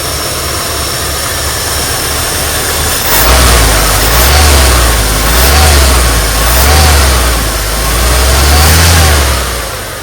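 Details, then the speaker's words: 1972 Ford F100 V8 with freshly rebuilt carburettor: deep rumble revs smoothly through quick blips and settles cleanly, starting right up, idling perfectly, no exhaust smoke. Normal free revving. "man that thing sounds good wow that's so cool there it is guys rebuilt carburetor just like that starts right up idling perfectly"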